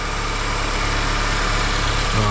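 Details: 2006 Honda CR-V, first start after replacing the variable valve timing (VTEC) actuator valve and changing the oil: a steady, even idle with a smooth low hum and no knocks or misses. The engine sounds healthy.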